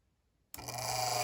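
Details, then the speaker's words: Lakewood HV-4 fan after shipping damage cracked rear bearing housing: at switch-on a steady low hum with faint higher ring and no run-up; motor locked, rotor suspected hitting stator from moving too far back. "oh god that's no good it is locked up and i think that's because the rotor is hitting the stator somewhere yeah that sounds pretty bad"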